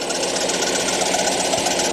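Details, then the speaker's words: 2013 Ford F150 daily driver, engine running: harsh, high-pitched squeal and rattle, steady and getting worse; water pump pulley found loose and shakeable, owner suspects the water pump bearing. Water pump bearing squeal. "Pretty gnarly sounding, Okay. So I started poking and prodding in here. I think it's that bearing on that water pump is going bad on me."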